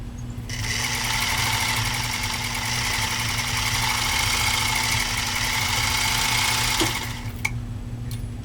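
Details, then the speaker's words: Singer 99K sewing machine motor on a long run stitching four layers of heavy-grade US Army canvas: steady, even buzzing at about four stitches a second with constant hum, strong and smooth under load, stops cleanly; motor normal. "I want to do a nice long run on this one so that you can hear that motor running"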